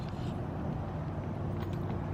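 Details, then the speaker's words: 1932 Ford roadster just collected from the speed shop after a safety check-over, deep even engine burble outdoors, steady with no knocks or misses; running well and sounds good. "Sure sounds good. Sure sounds good."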